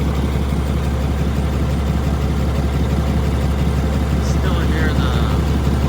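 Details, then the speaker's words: 2020 Ram 3500, 6.7 Cummins, 364k miles, cold start: steady, low idle with a faint offbeat stumble every few beats, a slight miss. It runs fine but sounds hurt; a lazy hydraulic lifter. "The slight miss, I'll call it that. The slight offbeat. Yeah, I mean, as far as feel goes, she's running fine. As far as sound goes, she's hurting."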